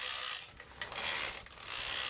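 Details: Kirby Diamond Edition vacuum, handle in, drive in neutral: harsh ratcheting grind rising and falling in the drive transmission; persists after the bracket cam assembly was ruled out, cause still undetermined.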